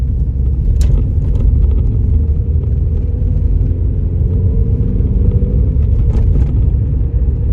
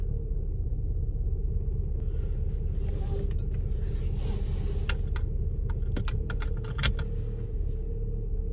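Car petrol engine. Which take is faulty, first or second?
second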